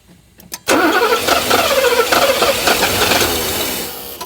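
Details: 1984 Mercedes 500 SEL pre-merger AMG, sat 27 years: starter churns engine unevenly for a few seconds, never catches; fuel line cracked to trace supply back to central fuel pump, fuel delivery suspected, not confirmed.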